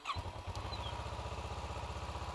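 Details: Motorcycle starter cranking while 12 volts is checked at the starter lug downstream of the solenoid, which has two 30 A fuses. The cranking whir is steady with even compression pulses and no clicking or grinding; the starter and solenoid are working.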